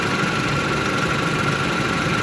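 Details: 2008 Hyundai Elantra four-cylinder, upper O2 sensor replaced and new spark plugs and wires fitted: smooth even idle with steady hum, no knocks, misses or hunting; running cleanly.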